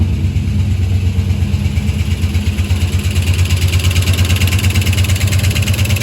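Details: VR Clubsport 304 V8, on its first start after a heavy front impact and years dormant, following an oil pump clean and Vaseline packing; a deep even idle at about three beats a second with no knocking or ticking.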